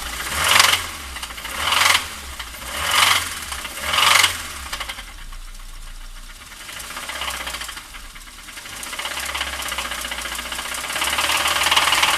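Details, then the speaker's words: Toyota Corolla 2 with 5E-FHE engine: four throttle blips about a second apart each bring a sharp metallic ringing knock, settling at idle; cause unconfirmed; metallic knock under revving. "Короче, народ, вот так вот звенит наш двигатель."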